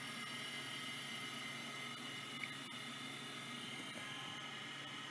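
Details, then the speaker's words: Vintage Microscience HH-725B compact OEM stepper-motor hard drive seeking: faint quick ticking over a soft whir as heads step back and forth; seeking normally, healthy. "working just like microscience they always work they they kind of don't die when they're like these 700 and 800 series like these stepper drives are stout the voice coil ones junk"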